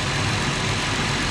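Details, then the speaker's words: 2016-2021 WK2 Jeep Grand Cherokee 3.6L V6 idling after water pump replacement, warming up, coolant near max: steady, even hum with no knocks, ticks or squeals; pulleys turning; normal idle. "sounds good pulleys are moving everything looks good our work looks good so far"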